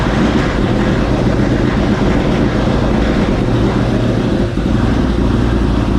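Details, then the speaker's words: 1970 Ford Mustang Mach 1 V8 just rebuilt with new cam, during break-in attempt: loud, rough idle with heavy uneven low thump from the bottom end; rod bearing knock, loose rod bearing later found. "we just can't get the freaking thing to run right it's just doing all kind of crazy stuff it's got a tap in the bottom end or somewhe"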